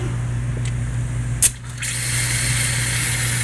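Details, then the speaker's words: Truck with hot no-start, hot air test on high-pressure oil system, engine at temperature with VGT closed and rpm raised: low engine hum then steady high hiss of air escaping at the number seven injector, suspected top injector o-ring/standpipe leak. "okay so we got number seven blowing out looks like this number seven"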